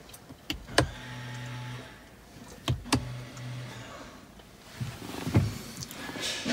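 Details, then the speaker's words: Peugeot 308 T9 after rear pad replacement, out of service mode, brake pedal pressed and switch pulled: two short even motor buzzes with clicks as rear motorized calipers clamp; electric parking brake applying normally. "pull the switch, you'll hear the motor is buzzing again, and then eventually the light will come on."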